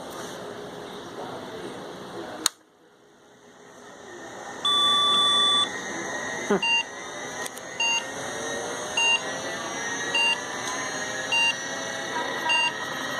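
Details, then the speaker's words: 286 PC POST beeps: two beeps suggesting a fault in first 64 KB of memory, then eight beeps indicating video error, caused by an 8-bit video card plugged into a 16-bit slot. "the first one the two beeps indicates a Fault in the first 64 kilobytes of memory I believe but it's not the important one the important one is the eight beeps that we get afterwards which indicates a video problem"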